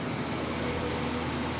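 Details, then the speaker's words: Miller 330 A/BP welder after servicing the cooling fan bearings, side panel back on and power on: steady even fan whoosh with a faint low hum, much quieter, no rattles; healthy cooling fan. "but here we go much quieter no crazy no crazy rattles or anything like [Music] that never heard the machine sound like this"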